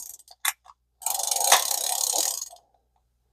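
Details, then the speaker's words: Early-1960s vintage Zebco reel after repair, rear cover refitted, a part hanging up that may need slight bending: fast dry ratcheting while cranking, with a sharper click as the pickup re-engages; engagement weak, works only marginally. "You hear that click? That's when it goes back into picking the line up."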